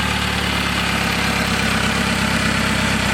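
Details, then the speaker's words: Toyota wagon being smog-prepped (Camry Wagon), started after new exhaust flex pipe fitted with heat shield and no longer leaking: even, steady idle, smooth low rumble, no puffing or ticking, way quieter; normal idle. "Start it up real quick. Huh? You want to start it up? Sure. Hey. Finally, bro. Okay. Way quieter. Yeah, way quieter."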